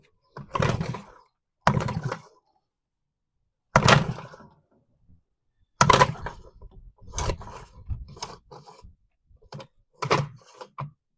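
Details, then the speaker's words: Freshly reassembled two-stroke outboard, mixed fuel, choke out, lever at start: repeated pulls about every two seconds, each a short free whirr with no compression; recoil starter not engaging the flywheel, owner suspects the starter is not mounted tight enough. "Why would it not be engaging the flywheel?"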